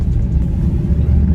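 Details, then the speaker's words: Vauxhall Insignia turbo diesel, driving after EGR valve leak fixed with longer bolt: deep even rumble pulling cleanly under load, no hiss or whoosh of escaping boost; former boost-leak-like noise gone. "wow the car pulls really well now guys oh I'm so happy obviously I'm not going to know on until I go into the motorway but so far I can tell there is no boost leak sounding type of noise"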